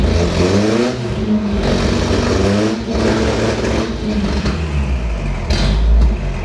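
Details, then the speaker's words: Toyota 4Runner left sitting 10 years, right after the fuel filter was hooked up: an uneven, stumbling note that surges and sags, and the exhaust cuts out. It is not running on all cylinders, a misfire. "The exhaust just cut off for no reason. It definitely doesn't seem like it's running on all cylinders."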